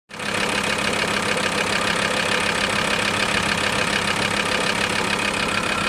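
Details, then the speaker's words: VW T4 2.5 TDI (ACV engine) diesel at idle: persistent clatter with a faint rhythmic knock about twice a second; the noise disappears when a little throttle is given; abnormal idle noise, cause unknown. "Jetzt gebe ich wieder ein bisschen Gas. Das Geräusch verschwindet."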